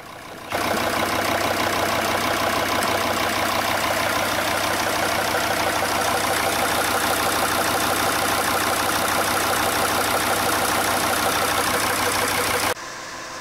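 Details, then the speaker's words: Diesel engine idling before injector replacement, also slow to start even cold: rough, uneven idle stumbling about three times a second; computer diagnostics showed the third injector working very poorly and needing replacement. "Сразу он сказал, что двигатель работает с перебоем. И по всей вероятности, самая главная причина – форсунка. Вот послушайте, как работает двигатель."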